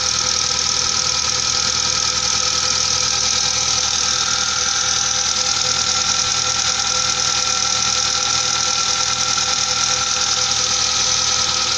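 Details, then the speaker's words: Mazda engine from 1998, idling after an attempted hydraulic lifter fix: fast light ticking about three per second over idle persists unchanged; hydraulic lifters still tapping, fix made no difference. "как стчали так и стчат даже даже Ничего не изменилося"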